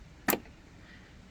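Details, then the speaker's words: Craftsman riding mower, Briggs & Stratton Intek engine: the new fuel shut-off solenoid (model 846639) is plugged in and tested at key-on. Two crisp clicks as the plunger pulls in and releases; this is a working solenoid, before final installation. "see how it pulls it in and that's it's what a working solenoid looks like"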